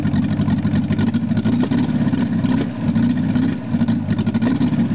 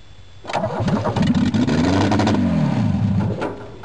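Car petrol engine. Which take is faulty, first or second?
second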